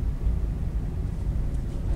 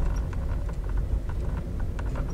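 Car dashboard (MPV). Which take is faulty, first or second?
second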